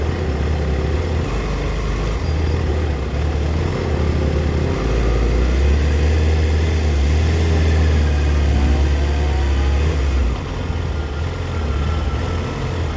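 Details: 2004 Yamaha FZ6 (immobiliser eliminator fitted): lumpy idle with stumbles, revs sagging and recovering, dipping as low as 970 rpm versus 1260-1320 rpm spec when warm; owner suspects a bad ignition coil, a common age-related fault.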